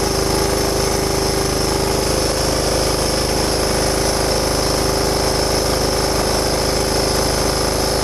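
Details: John Deere Hydro 175 lawn tractor being restored, previously not running, after replacing the wrong BR8ES spark plug with a BR5ES: the small engine holds a steady, even, rapid beat with no misses or surging; normal running.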